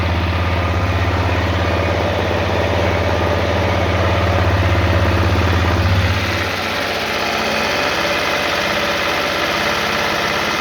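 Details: Honda CRF250L at fast even idle: deep drone dropping away partway with a regular tapping engine knock over it, cause unknown.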